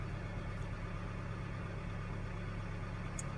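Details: 2013 Hyundai Sonata after fixing P06A5 sensor reference voltage D circuit high (P0193) fault, check engine light cleared: low steady even hum with no knocks, misses or whine; normal healthy idle.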